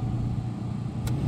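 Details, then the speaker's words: 2004 GMC Canyon after replacing the AC blower motor resistor (previously only speed 4 worked): steady low hum of the cabin fan on a low setting, smooth with no rattle or squeal; blower working normally. "and it works all you had to do is replace the AC blower motor resistor"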